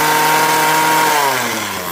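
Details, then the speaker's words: Craftsman 21cc Bushwacker two-stroke hedge trimmer, sitting nearly a year, just started on half choke: high smooth buzz easing down evenly with no stumble or misfire; a few air bubbles in fuel. Normal idle and revving. "There is a couple air bubbles in the fuel, but I don't think it should have any real effect on it, but seems like it's running pretty good."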